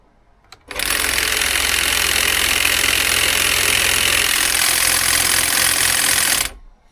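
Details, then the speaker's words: Makita DUN461 battery pole hedge trimmer, old, gutless and stalling on small twigs, running with no load: harsh hissy buzz with fast rattly chatter, noisier than remembered, maybe eased by recent oil; noisy cutter gearbox. "It doesn't sound great either. It sounds very noisy compared to how I remember it being."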